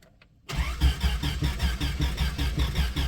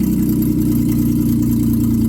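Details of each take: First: 1995 Plymouth Voyager, 209,068 miles, sat about four years, straight-piped: starter spins steadily about a hundred beats a minute but never fires; owner suspects distributor timing is way out. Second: 1995 Plymouth Voyager minivan, 209,068 miles, after revival and brake line work: steady, even low idle hum with no knocks, misses or hunting; idling smoothly.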